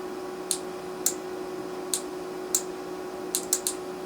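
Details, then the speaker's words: Relay on Carrier furnace control board HK42FZ011, coil energized on bench: seven crisp clicks over faint hum, no continuity beep; contacts burnt from overheating caused by clogged filter. "you can hear it clicking but I can't hear no continuity on the meter to me that tells me this is a bad relay like the contacts are not uh not there anymore or something"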